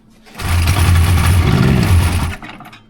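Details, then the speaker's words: Rebuilt 1999 Polaris XCR800 two-stroke triple, carbs rebuilt and synced, TPS set, first fire-up by pull rope with fuel squirted into each cylinder, no coolant: two seconds of low fast popping as it briefly catches and dies; no knocking or rattle. "I didn't hear any bad noises. No."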